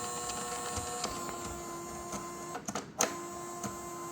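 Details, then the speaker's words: Creality 3D printer CFS filament system after a factory reset: steady electric motor whir with faint ticks and no change in load; the feeder motor runs without gripping the filament, cause unknown. "I hear the noise, but it's not grabbing the stuff."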